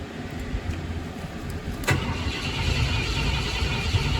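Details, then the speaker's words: 1972 Ford F-100 Ranger XLT revived after about 10 years in storage, cranked from the cab via a jumper across the neutral safety switch terminals: it cranks steadily but never starts, with no power reaching the ignition coil. "yeah it's cranking but it's not starting so okay so that's one of the problems taken care of but why are we not getting uh any power to the coil"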